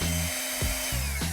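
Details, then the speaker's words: Flextail Max Pump deflating an air mattress: the steady motor hum changes pitch once the mattress is fully empty and there is no more air to suck out. Normal; deflating took about the same time as the roughly 1 min 36 s inflation. "You can hear the tone of the pump change when it has no more air left to suck out."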